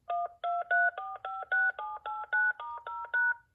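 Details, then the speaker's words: New-in-box Panasonic KX-TG5438F cordless phone: twelve crisp two-tone keypad dialing beeps in quick succession, clean and steady in pitch; keypad tones work normally. "they sound good too."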